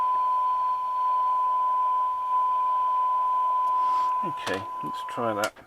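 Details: Roberts R707 radio after peaking the IF transformers: steady clear tone near 1 kHz over faint hiss, no crackle or dropouts; receiving cleanly, oscillator alignment slightly off.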